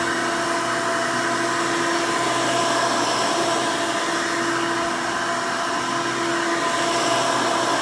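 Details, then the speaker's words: 1992 Hoover Elite II Total System Performance 650 upright vacuum (U4689-910), motor needed no work since purchase, running: loud steady motor roar with even fan whine, no rattles, scraping or pitch wobble; runs very nice and smooth, sounds good. "runs very nice and smooth definitely sounds good i didn't have to do anything to the motor when i bought it so that's one nice plus"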